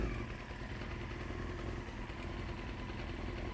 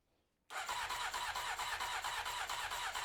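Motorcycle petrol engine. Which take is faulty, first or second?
second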